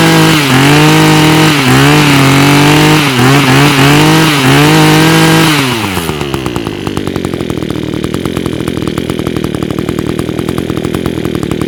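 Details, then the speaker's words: Echo power equipment with Zama carburetor, after cleaning the jet, air cleaner refitted: small two-stroke revs then settles to a steady, even idle; earlier smoke from raw fuel now cleared. "It's running good now. It has stopped smoking."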